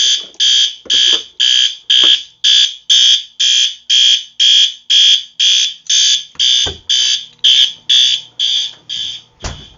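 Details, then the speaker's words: Fire alarm horn set to maximum volume, activated by pulling a station, garage zone coded to march time by the panel: loud piercing horn blasting steadily about twice a second. "This one is on max volume, so this is going to be really loud."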